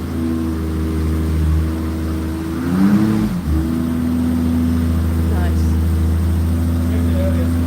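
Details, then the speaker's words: BMW 325i six-cylinder, warm, after new variable camshaft timing gear fitted: smooth even idle, clean blip up and down, settling straight to steady tick-free idle; running healthy. "Now that wasn't from cold, it was already warm. Yeah, it's not a V8, no, Rosie. It's the 325i 6-cylinder, and it sounds amazing."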